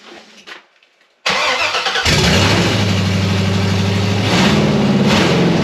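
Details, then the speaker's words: LS V8 swapped into an 1987 Chevy K5 Blazer, first start on a FiTech Ultimate LS harness after bleeding and priming fuel, open headers: brief crank, then a loud, even, lopey idle; runs cleanly. "Well, there you have it, guys. It's running. First time in the Blazer. It sounds pretty wicked with open headers."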